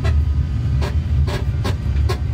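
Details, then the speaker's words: 1981 Lectra Motors Lectra 2+2 electric car, junkyard find on what may be its first drive in about 20 years, drawing about 10 amps, no engine braking, brakes not yet fixed: a strange deep rumble with a sharp rattling tick every 0.4 s from the front, cause unknown. "that is a strange sound coming from the front of the scene you see right now we're using about 10 amps"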